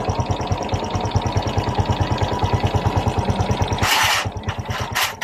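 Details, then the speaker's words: Honda XRM 125 Fi motorcycle after timing chain replacement (roller guide also changed): idles with even, steady pulse, earlier ticking gone; the worn timing chain was the cause. "yun na guys balik na ang tunog ng kanyang makina walang yung lagitake na ang dahilan ay ang timing chain"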